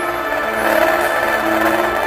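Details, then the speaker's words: Laptop speaker playing music with old audio balance setup: harsh, buzzy, gritty crackle on every note; speaker overdriven and distorting. "Distorted na kasi yan kasing mga setup na yan [musika] nadinig ninyo ang sobrang basag. Nakaka-dismaya 'di ba?"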